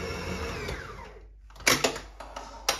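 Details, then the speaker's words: Bakery dough mixer on second speed at about 9 minutes kneading Berlin doughnut (beignet) dough. Motor hum winds down, then dough slaps the bowl in clean beats; the smooth dough is releasing from the bowl, normal kneading. "des fois on l'entend que la caisse qui veut dire qu'elle est bonne donc là la patte très bien lisse qu'on va l'arrêter"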